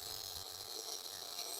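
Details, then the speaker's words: MIG (GMAW) welding, pulling the gun with a slight circle: steady, even crackle like frying bacon with no pops or gaps, indicating the right settings for a normal arc. "you can also hear that this sounds like frying bacon"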